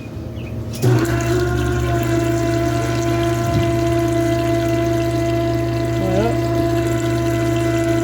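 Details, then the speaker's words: Newly built return-style fuel system on a carbureted vehicle, built to prevent vapor lock, tested with the carburetor line plugged: pump hums evenly while fuel trickles quietly back to the tank; return flow is normal. "sure can't hear it can't see it if I can hear it seems like it works pretty nicely and don't Splash in your face or none and pour out all your 20 gallons of gas you had"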